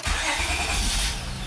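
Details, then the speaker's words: 2005 Honda Accord EX V6 coupe after replacing the transmission range switch for intermittent no-crank no-start: quick crank catches at once in neutral and settles to an even idle; reverse and drive engage, fix confirmed. "now we're good to go went into reverse went into drive and it moved all right"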